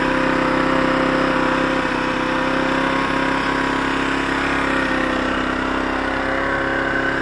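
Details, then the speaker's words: Zontes Tiger 125cc single-cylinder motorcycle bought as a non-starter, running on the reserve fuel tap after a spark fix: steady idle with uneven beat and faint stumbles; sputtery, owner thinks the mixture needs adjusting. "if i separated those tables and plugged that in the bike starts and turns off just got to do the mixture because it sounded a bit sputtery"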